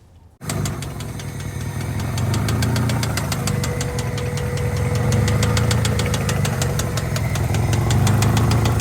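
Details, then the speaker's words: Honda Civic engine: a sharp metallic knock repeats three to four times a second over the idle after the engine catches; noticed while driving, first suspected to need a valve adjustment, but it was rod knock. "I I noticed a little knocking sound when I was driving and uh I thought it was my valve flash cuz I really needed to do that. Um but it was rod knock."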